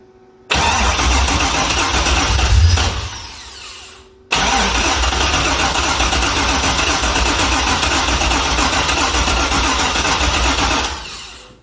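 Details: Chevrolet C6 Corvette with junkyard engine and Terminator X ECU, first start after many failed attempts: a cranking burst cuts out, then a longer crank catches and the engine runs.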